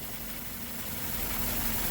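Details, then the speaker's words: Maruti Swift Dzire idling, heard from underneath at gearbox: rough gritty whirring rumble from a worn clutch release bearing, louder when clutch pedal is pressed, normal when released; fixed during clutch work. "അപ്പോൾ release ബെയറിങ്ങിൻ്റെ സൗണ്ടാണ് കേൾക്കുന്നത്. Release ബെയറിങ്ങിന് load കൂടുമ്പോൾ sound വരുന്നില്ല, free ആയിട്ട് ഇട്ടിരിക്കുന്ന സമയത്ത് സൗണ്ടായിരിക്കും."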